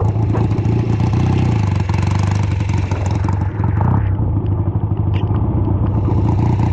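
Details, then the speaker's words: Home-built BSA twin chopper on its first ride in many years, a half-mile trip in light rain. An uneven, stumbling beat as it pulls, one cylinder seemingly not keeping up: a one-cylinder misfire under load. Carburetor or ignition suspected, cause unclear; earlier fixes didn't help. "Everything I've done so far has made no difference. It's still running poorly."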